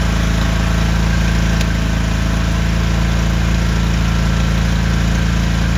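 Deep, even thumping at a steady idle, no misses, hunting or rattles; the welder's petrol engine is running smoothly.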